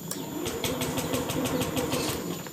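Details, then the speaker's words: Honda Beat ESP fuel-injected scooter with a total no-start, tested with ignition jumpered: the starter churns in slow, laboured pulses, about six a second, and the engine never catches; owner suspects a weak battery. "berat berat nalah Oke kita bantu selah dulu mungkin baterainya sudah agak anu"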